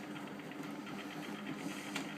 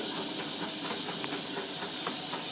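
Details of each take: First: Bendix 7128 washing machine on Non Colourfast Cotton & Linen 40 programme: quiet even motor hum with soft rhythmic churn, no knocks or scraping; good normal wash tumbling. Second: Bendix 7128 washing machine on a non-colourfast cotton/linen 40 wash: constant high-pitched hiss over tumbling. The owner suspects a loose solenoid (possibly the door seal); not confirmed.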